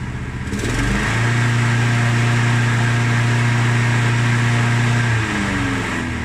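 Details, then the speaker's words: Mountfield SP536ES key-start self-propelled mower with an RM55 160cc single-cylinder engine, run before its service. It rises to a steady, even drone and drops at shutoff, but runs a bit smoky. The drive isn't working; the belt reportedly came off. "well as you can see it runs a bit smoky"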